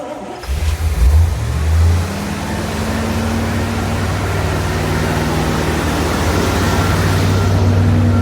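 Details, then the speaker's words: 1979 Corvette L82 V8 with choke spring corrected and choke fully open: after blips it settles into a fast rumbling idle that won't drop despite lowering the idle screw; a vacuum leak was found at a clamped rubber hose. "it's been idling super high even after bypassing or like closing the choke i guess opening the choke all the way up so airflow gets in because i have my um idle screw way too high"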